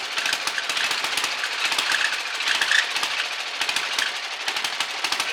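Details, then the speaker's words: Old Mustang ride-on mower with a Briggs and Stratton engine, not run in over 20 years, carb removed: ragged popping bursts that sputter and dip, kept alive only by sprayed carb/choke cleaner. It needs a carburetor. "Oh. It's running. Just needs a carburetor."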